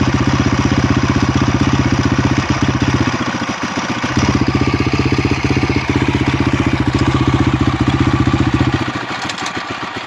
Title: honda crf250x engine strange noise.